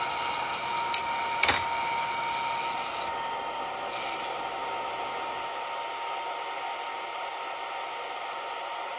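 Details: Longer Ray5 20W laser module: steady soft airy hiss from the small cooling fan with a custom printed duct, plus a faint thin tone and two brief clicks; some rattle because the fan isn't bolted down.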